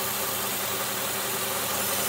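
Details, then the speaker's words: 2004 Mercedes E500 W211, M113 V8, smooth idle with a steady airy hiss: vacuum leak at the valve cover vent line connection from a deteriorated valve cover, left bank lean fault. "so there's basically just a vacuum lake has been created right there at that connection point for that vent line um and it's just sucking in air because of that you know the valve cover failure um"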